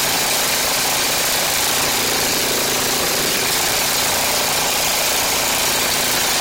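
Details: Ariens Classic 824 two-stage snow blower (model 924550) after ultrasonic carburetor cleaning, started by hand on choke: single-cylinder engine runs steadily and evenly with a lot of hiss but no knocks or misses; normal running.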